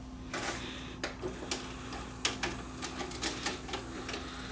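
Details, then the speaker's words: Panasonic PV4361 VCR that shuts down and eats tapes; steady low hum with irregular clicks and clacks from the tape mechanism as it loads and plays a few seconds, then power shuts off on its own; cause unclear. "It just shut off on its own. So that's what it does. You hit the power button and it just shuts off. After it starts playing for a few seconds, the power goes off."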